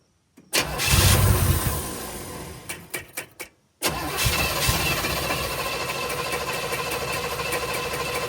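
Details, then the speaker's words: 1965 Chevy Nova wagon, new Holley 450 carburetor first start out of the box, unadjusted: catches at once then holds a fast steady idle around 3,000 rpm; throttle plates won't close, owner suspects adjustment screws or a big vacuum leak. "But anyways, it's idling at like 3,000 RPMs. So I need to check my screws."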